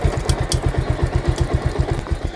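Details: Bajaj Pulsar motorcycle in gear with noise louder when revved; regular low engine thumping with light scraping ticks on top, chain suspected rubbing the swingarm where the rubber slider sits, not confirmed.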